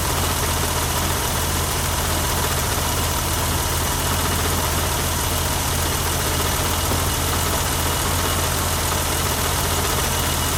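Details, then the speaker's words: 1988 BMW 325i inline-six idling on its own for the first time after six years parked, right after fuel pump replacement (old pump locked up); smooth, even idle with steady low hum, no knocks, misses or stumbles. "Wow, that's the first time this has ran by itself. You know, other than me pouring some gas into the intake just to see if it worked. And by itself since 6 years now. It's been 6 years. Wow, that sounds smooth."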